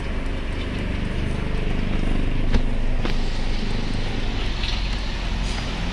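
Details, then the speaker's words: Mitsubishi Strada with a no-crank no-start fault, started after replacing the two-way starter relay with a used Japan-surplus unit and refitting the fuse; fires and settles into a steady, even idle without stumbles or knocks. Normal start and idle. "try na natin kung aandar na Ayan umandar na"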